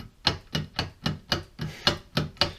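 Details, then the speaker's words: Right front CV shaft, original OEM, removed from a Subaru Forester and checked on the bench; the noise was worse under throttle. Sharp clacking knocks as the shaft is rotated and worked in and out show badly worn joint play. "right away just rotating it you can hear quite a bit of noise but this is where it really is"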